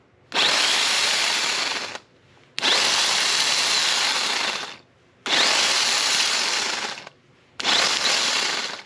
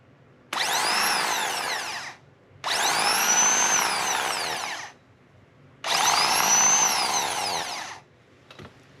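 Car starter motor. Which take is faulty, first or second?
first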